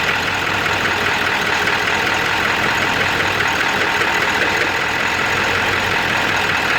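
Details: Ford 7.3 diesel at high idle: heavy clatter with an uneven, lumpy rhythm; puffing blue-looking smoke that smells of raw diesel, EGTs good, no power; rough running, cause not yet found.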